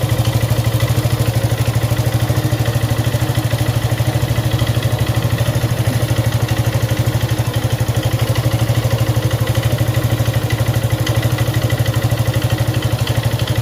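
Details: Suzuki Gixxer 155cc single idling with steady tapping clatter, about three per second, over exhaust beat; top-end noise, owner neglected oil; suspected timing chain, loose valves or worn piston/rings, unconfirmed before teardown.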